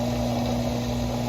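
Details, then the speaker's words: Haier washing machine drain pump, temporarily freed by repositioning after failing to drain: steady low motor hum with faint whirr, no grinding; pump working and draining normally. "so here you can hear the pump working"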